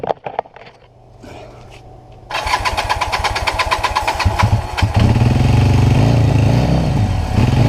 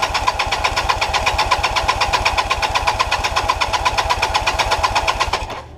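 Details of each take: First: Kawasaki LTD440 twin revival after carb cleaning and new plugs, weak spark earlier: quiet cranking, catches at about two seconds and settles into a steady, even idle with a clean twin-cylinder beat; normal start and idle. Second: 1988 Kawasaki LTD 440 after carb cleaning, on a non-stock battery and starting fluid: fast even firing about four per second for five seconds, then abrupt cutout; weak spark suspected, plugs and ignition to be checked.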